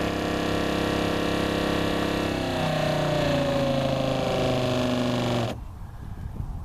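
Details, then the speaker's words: Northern Tool water pump on a homemade watering cart with the hose valve shut: steady whir whose pitch sags as pressure builds, then cuts out abruptly; it cycles on and off because the hose valve was not fully shut, leaking pressure. "if there's any leaks it'll it'll oscillate like that my hose didn't off good but that's the way it works"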